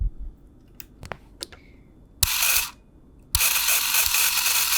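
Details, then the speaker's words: Canon 1014 AZ Super 8 camera, opened to fix sticky trigger; faint clicks then short motor bursts that cut out within a second; owner suspects the three bent trigger contact plates won't hold shape; motor runs briefly then stops. "but as you can see it'll work for like a second and everything just kind of gets bent out of shape again"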